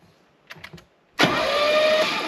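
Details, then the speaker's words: 1966 Mercedes 230SL, 40 years off road, after fixing a short with an O-ring as a bushing: a few faint clicks, then it cranks briskly and fires, holding an even roar, valve cover off, pumping lots of oil. "and it is firing away on its own. Holy moly, that is all the oil pressure. We are turning over smoothly. We are firing, but we need to get this valve cover back on."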